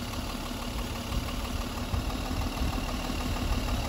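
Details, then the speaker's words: Mercedes M130/M127 engine with mechanical fuel injection pump being adjusted, idling at 700 rpm with fuel turned down: low, uneven idle with irregular stumbles; lean misfire from too little fuel, won't rev with more air. "okay guys I believe we have reached the spot see so now it's revving at 700 I can hear that it's misfiring so it's probably not getting enough fuel"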